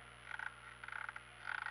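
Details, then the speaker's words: Renault Clio engine running with the microphone close to the drive belt. Bursts of sharp high chirps come from the dried-out, cracked belt on its pulleys. "é esse barulho da correia. Deixa eu botar bem pertinho aqui pra ver se... Tá bem ressecada a correia."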